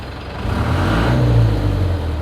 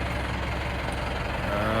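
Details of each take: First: Chevy K30 squarebody crew cab with a 4BT Cummins diesel swap and NV4500 five-speed, after a 20-mile test drive. A deep, smooth diesel rumble swells evenly with the rev and settles back, with no knocks or rattles. The owner calls it super quiet; the engine sounds healthy. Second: Chevy K30 squarebody with a 4BT Cummins diesel swap and NV4500 five-speed, after a 20-mile test drive. A steady, low diesel rumble with slow, even firing and no misses. The idle sits a little low and the owner plans to raise it; otherwise it sounds good.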